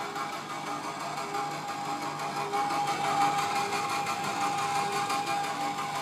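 A steady whirring tone near 800 Hz with a faint rapid ticking over it; this machine is making an abnormal mechanical noise.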